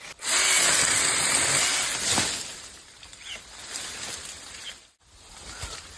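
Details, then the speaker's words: Ingco cordless 8-inch battery chainsaw, no fuel, cutting a branch in the field: high busy electric whine with rough chatter as the chain bites, then easing off; cutting ability and speed judged very satisfactory, normal cutting. "இதோட வெட்டக்கூடிய திறன் இதோட வேகம் speed எல்லாமே நம்மளுக்கு ரொம்பவே நல்ல திருப்திகரமா இருக்கு."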